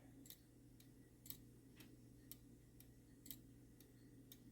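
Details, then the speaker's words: Shanghai 555 clock movement after cleaning and beat correction, running overnight: quiet evenly spaced ticks about twice a second with steady alternating rhythm, keeping good time; clock in beat. "it's still in perfect beat, and it seems like it's keeping pretty good time."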